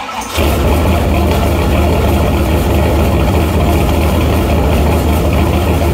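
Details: Shelby V8 after new MSD Street Fire 8mm plug wires, boots and plugs: heavy, lumpy uneven idle that loads up rich until revved, though it drives fine; owner suspects an ignition problem, possibly distributor rotor, unconfirmed.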